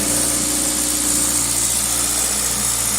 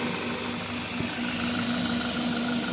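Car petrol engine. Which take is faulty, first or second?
first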